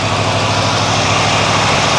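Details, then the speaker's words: 1978 Ford F100 pickup that sat in a field about 15 years, started after already running an hour earlier, about 78°F outside: fast, busy idle with quick even firing, higher than warm idle should be; choke issue seen, vacuum leak suspected. "Aha. See, there's a choke issue. And we got a high idle."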